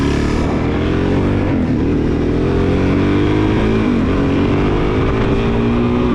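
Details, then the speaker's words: 2001 Suzuki DRZ400S, 11,000 miles, sat all spring and summer unused: single-cylinder note hunts and wavers, revs surging and sagging unevenly; running rough, owner suspects the carburetor or fuel bowl, unconfirmed. "So, you guys can tell just by watching this footage you hear that the bike isn't running properly."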